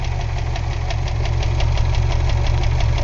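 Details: 1999 Ford Escort ZX2, 2.0L twin-cam Zetec, idling: deep rumble with light tap about three a second, louder in gear; miss, heavy blow-by, cylinder two 25 psi compression; owner suspects bottom end, not confirmed.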